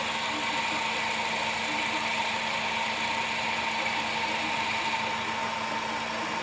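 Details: Idle after driving through a flooded street in Arecibo: steady hissy whir with a faint constant tone and light, irregular ticking; abnormal engine noise since the flooding, cause unclear.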